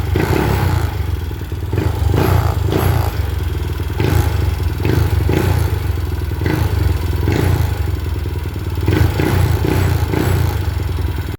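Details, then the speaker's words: Mio i 125 M3 scooter running after fitting an RVN 28/24 big-valve head. A light, quick tick rides over the thrum from excess valve clearance, left loose on purpose after the new install until the valves seat. Not yet tuned or road-tested. "Ang nangyari pala kanina, tumukod yung valve clearance. Kaya pag bagong kabit, hayaan nyo muna na medyo maluwang. Kaya medyo malagitik."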